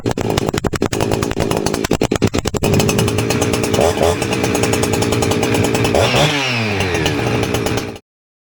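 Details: Husqvarna 359 two-stroke chainsaw after replacing leaking inlet boot (was pulling air, too lean), open muffler with 17 mm outlet, high jet richened: pull-start cranks, catches, revs cleanly with crisp throttle blips then shuts off; healthy, no bogging.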